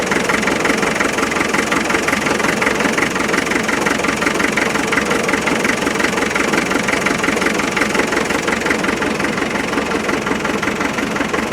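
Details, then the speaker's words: 1991 Land Rover 90 ex-military 2.5 naturally aspirated diesel, non-runner, around 12–13°C: starts, smoky exhaust, steady clatter with uneven lumpy beat about three pulses a second; rough running, suspected injector or something more serious, injector swap planned. "they start surprised [Music] and it's a bit smoky on the exhaust"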